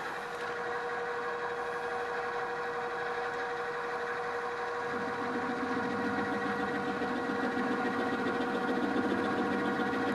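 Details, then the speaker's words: End mill held in a drill chuck on a drill press: steady motor hum turns rough once the cutter bites, with rumbling chatter and a buzzing undertone, leaving surface irregularities of about ten thousandths of an inch. "and it's sort of working but you can hear some rumbling some chatter"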